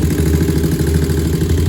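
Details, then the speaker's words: 2001 Honda TRX400 single-cylinder, stock exhaust, idling: a steady, settled low thump with no tick standing out. A small tick had been reported after a valve adjustment to spec; it now sounds pretty strong for a 400 and healthy. "2001 Trx400. Get it in gear cycles. Sound pretty strong to be a 400."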